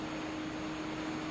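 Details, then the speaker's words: FPV plane with 2830 1300 kV motors after the left motor quit mid-flight: the right motor alone whines steadily at about 80% throttle, yet speed stays around 40 km/h. "C'est le moteur gauche justement qui vient de lâcher. Et le moteur droit est le seul qui fonctionne actuellement. C'est pour cela que j'accélère à fond pour maintenir le vol."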